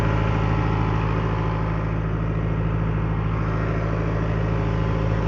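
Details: Late-1980s Caterpillar 943 track loader diesel idling while warming up; steady, even low rumble with smooth regular firing beat, no knocks or misses; normal healthy idle.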